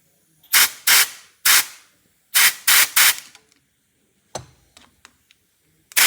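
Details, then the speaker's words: Unimog 421 (U52) restoration, seized rear differential lock: WD40 applied, air pressure fed to the piston; about seven short sharp air hisses with no clunk of engagement. The diff lock piston is seized, so the axle trumpet must come off. "But nothing's happening there. So, it's seized."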